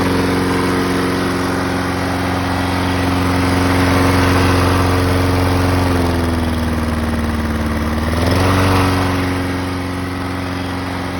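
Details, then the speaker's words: Tecumseh-carbureted lawnmower engine idling after its hidden idle jet was cleaned out with carb spray, following surging at idle; runs at a steady speed with one brief sag and recovery, no rhythmic hunting, idle surging resolved. "this particular lawnmower was surging and it would uh and by doing this it clean it that helped it to resolve its idling surging issues"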